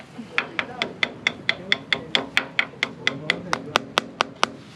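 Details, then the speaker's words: Taps on a sailboat's keel-to-hull joint at the front, where a 'smile' crack from the keel hitting bottom lets water in. About eighteen taps ring hollow rather than solid, revealing a soft delaminated spot. "hear that kind of a hollow sound solid not so right there is a little soft spot"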